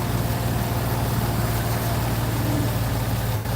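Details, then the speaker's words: Jeep Grand Cherokee after replacing the floppy, rattling belt tensioner and the alternator: steady, smooth, quieter idle with no belt slap or chirp. The belt still shakes slightly and may need replacing. "but this is a lot smoother and a lot quieter."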